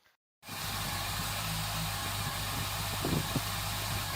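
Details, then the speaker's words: 2008 Honda CBF1000 four-cylinder finally firing after a long no-start with good compression, fuel pressure and ignition. After silence it catches and settles into a slightly uneven idle with a couple of pops. Plugs possibly doused in fluid, cause still unclear; now runs. "can you believe it started up but it took a hell of a long time to start and it was really not wanting to start"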